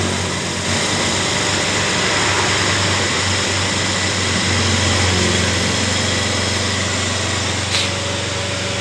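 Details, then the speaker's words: Honda Beat FI scooter (complaint: hesitates when throttle opened) after reinstalling the air cleaner cover: small single buzzes along at steady even idle with no stumbles; normal idle. "tekanan berjalan dengan normal ketutupan ini lagi agar langsam dari motor ini bisa stabil"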